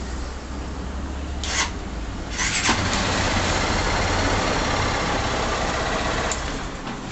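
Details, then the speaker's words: 2011 Honda Titan CG 150 PGM-FI, after fixing a bad battery positive cable that starved the starter switch; injection light now bright, starter whirs briefly, engine catches at once and idles evenly; normal electric start. "funcionou devidamente correto"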